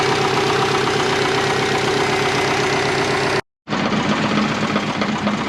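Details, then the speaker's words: Twin-turbo 2001 Subaru Forester GT warming up for road tuning: a loose, irregular tinny rattle about four per second over the idle. Owner thinks it is the plastic guard support brace. An exhaust leak was also found afterward. "Doesn't sound very good, does it? It's the plastic. I think it's the support."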